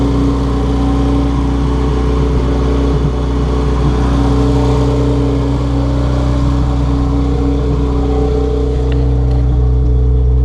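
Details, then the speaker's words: Honda Civic EG hatchback after D16Z6 swapped out for a B20V turbo engine, first run after the swap, kept short to avoid overheating since clutch master cylinder still needs bleeding; deep even drone, no knocks; normal running. "Sounds like it's running really well. I didn't want to overheat it because I still need to bleed out the clutch master cylinder from when I disconnected it earlier."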